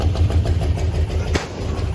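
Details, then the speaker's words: Abandoned 1974 International 150 pickup, IH 345 V8, running off its tank: lumpy, stumbling idle with a sharp pop near the end; backfiring, probably down a couple cylinders (cylinder 2 suspected), exhaust restriction suspected. "Well, I got some backfiring going on. That's neat. So I've decided we're probably down a couple cylinders."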